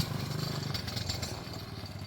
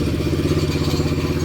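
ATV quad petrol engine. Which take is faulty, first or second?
first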